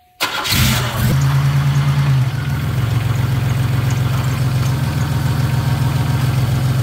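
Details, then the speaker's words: Car started after transmission filter and pan gasket replacement and refilling with 4 quarts of fluid: crank, quick catch, short high flare, then steady even idle, no knocks or misfires, no leaks; normal start and idle. "Now we put 4 quarts in it. We're gonna start it up."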